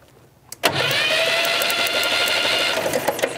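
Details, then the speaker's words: 1965 Datsun 320 pickup, sat over 30 years: steady starter cranking with crackling snaps as spark arcs out of the ignition coil, suspected cracked; engine won't fire; coil swap planned. "still just losing it all across through there for some reason huh I don't know why it would be doing that not unless that coil's got a crack in it or something in that maybe"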